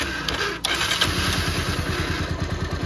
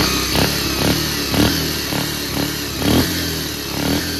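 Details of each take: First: Second-hand Bajaj Pulsar 150 single-cylinder, running without choke, old carburettor: light throttle opening makes it chug unevenly about three beats a second and stall; faulty carburettor suspected of starving it. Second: Bajaj Pulsar 150 after carburettor repair (problem solved): crisp, even throttle blips about twice a second, picking up cleanly with no stumble or hesitation; normal healthy revving.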